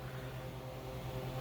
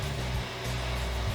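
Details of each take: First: Customized Xbox 360 Slim with red dot of death false overheating, no HDMI plugged in: fan kicks on with steady low hum and faint airy whoosh, even and unbroken, cooling fan running normally. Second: Customized Xbox 360 Slim with false overheating (red dot of death) after reassembly: fan slowly speeds up to a loud steady rushing hum at maximum, as if overheating, until the console shuts down; cause unclear.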